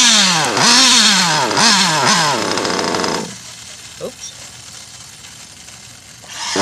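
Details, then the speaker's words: Nova/Teckno NT48.3 nitro RC with a modded engine: small nitro engine screams through repeated rising and falling revs, then drops to a rough idle; the clutch bell/pinion kept loosening. "that sounds like my clutch bells coming with almost guaranteed"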